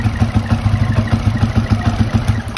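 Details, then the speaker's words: Vf3i motorcycle with IKK jet rod and Rapido Racing exhaust, idling: busy ticking clatter on each firing pulse from the cylinder head; cam fault, fix is replacing the cam and head; the rest is very quiet. "kalau korang dengar tadi dia punya bunyi head tu, dia ada masalah dengan dekat bahagian dia punya cam tu. Jadi bahagian cam tu nanti kena tukar cam baru, head tu tukar yang baru punya, nanti baru okey lah."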